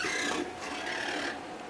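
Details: Stamina InMotion E1000 mechanical elliptical trainer: dry, raspy scrubbing with a thin squeal riding on it as the roller wheel turns; roller wheel squeak.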